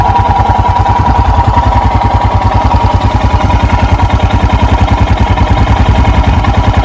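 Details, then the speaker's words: 2021 EFI Royal Enfield Himalayan single, a little over a minute into cold-start warm-up with the choke/idle lever, idling at 1200 rpm: even, regular thump with no knocks or rattles; normal fast idle warm-up. "And there we go. We're up around 1200. The owner's manual says to leave it like this for a full minute."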